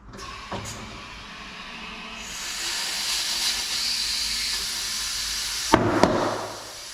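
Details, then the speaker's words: 1964 VW Beetle tubeless rim that wouldn't seal, now fitted with an inner tube and inflated with the valve core removed. Steady hiss with pops near the end is trapped air escaping between tyre and tube, not a leak. "now if you can hear air leaking out that's actually air that's trapped between the tire and the inner tube so you think it's actually leaking but it's not it's just the air escaping"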